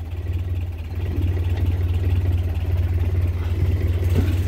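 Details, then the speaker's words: 1961 Land Rover with fully rebuilt engine (bored +40, crank grind, lead-free head), cold start on choke, outside. Low, even idle with a steady smooth pulse and no knocks, ticks or misses. Normal idle. "is uh been bored out plus 40 and it has a lead free head on it for unloaded fuel and it seems to be running quite nice"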